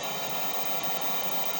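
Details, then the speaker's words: Pole Position II arcade cabinet at power-up while the monitor warms: constant flat hiss over the sound output with an explosion effect and strange noise; sound fault on the game board, alongside a vertical picture issue. "We got a little bit of a vertical issue, so let me get we have a sound issue up top. The sound is very strange,"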